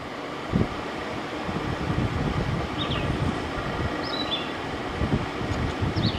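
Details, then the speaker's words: 2001 General Electric Quiet Aire air conditioner, fully reassembled after fan motor bearing replacement, fan only: even steady airy rumble, no grinding, rattling or squealing bearing; fan motor runs smooth and quiet. "so this is from 2001 so let's turn it on i already know the fan bearing sound good yeah it sounds nice"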